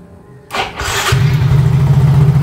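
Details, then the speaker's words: Old Yamaha X-Ride motorcycle after wiring repair for total electrical failure (short circuit fixed): brief starter whirr, fires at once into smooth steady low idle; starts and runs normally, though the tail lamp still needs replacing. "Teman-teman bisa lihat motornya langsung hidup dan nggak ada masalah lagi ya teman-teman di bagian perkabelan."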